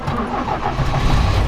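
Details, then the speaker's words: Restored 1977 Toyota Celica GT barn find with rebuilt carburetor; the starter has issues, and the engine catches after cranking and settles into a rough, uneven idle; hard starting. "there you go start it up the first time when it actually wanted to start again the starter has issues but yeah it starts up no problem"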